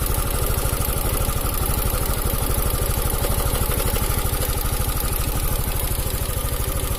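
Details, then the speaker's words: Italian 250cc automatic scooter, revived after not starting, charging reading about 14 V: steady idle at roughly three pulses a second with a dry, rough krek-krek clatter over the thump when revved, cam chain rattle. "Coba saya naikkan benar Nah itu MP3 suara rantai keteng bahwa krek-krek gitu"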